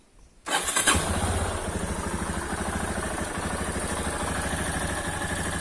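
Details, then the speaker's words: Yamaha XTZ Lander 250 single after a general service that fixed an engine noise blamed on a worn cam clip: fires up into a quick, even idle with a light sewing-machine tick typical of Yamaha engines; normal idle. "ficou barulho característico dos motores da yamaha isso é é aquele motorzinho o barulho de máquina de costura mas que é resistente"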